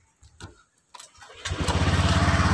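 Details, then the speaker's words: Honda Vario 125 LED with total electrical failure. A few hesitant bursts, then it catches and idles steadily when the loose ignition switch socket is moved; red input wire suspected: intermittent starting, loose ignition switch connector. "dengan dia hidup berarti apa sama Soalnya di soket kunci kontak yang kendor kita taruh saja diamati"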